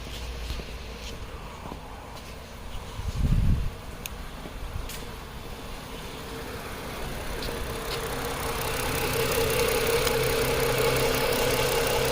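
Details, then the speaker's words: 2010 Chrysler Sebring 2.7L convertible that ran rough, after engine reassembly with new flex plate: quiet uneven idle with a faint stumbling beat rising at the end; cylinder 2 dead with no injector pulse width on scan tool. "cylinder two nothing on the milliseconds so that's our misfiring cylinder"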